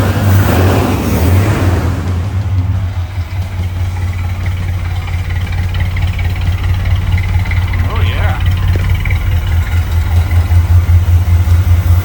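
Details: Newly installed carbureted V8 (engine swap, emissions equipment removed) in a fleet car being finished up: deep, steady rumble settles into an even idle after a throttle blip, no knocks or misses; runs healthy.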